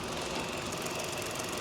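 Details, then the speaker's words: Nissan Qashqai engine bay after a water pump replacement: even, steady idle with a light mechanical hum and no ticking, squeal or knock; the earlier strange noise was the water pump, with no internal damage. "the engine is sounding fantastic I was a bit concerned when I did pick up the car especially on that long drive back but it just turned out to be a water pump which needed a replacing"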